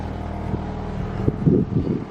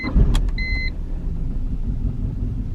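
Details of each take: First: BMW 318i E46 Touring after a cooling-system pressure test, fixing a rough idle: steady, even idle with no misfire beat or stumble, much smoother than before; normal idle. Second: BMW 318i E46 Touring petrol, warm start: two dash chimes, quick catch, then a low, uneven, very rough idle; car had died on the road; coolant leak present, new ignition coils planned.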